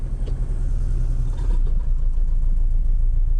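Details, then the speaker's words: 2009 Nissan Altima just started, running rough and smoking: lumpy low rumble with uneven chug at idle, sounds like a tractor. "so we just started this one up running pretty rough"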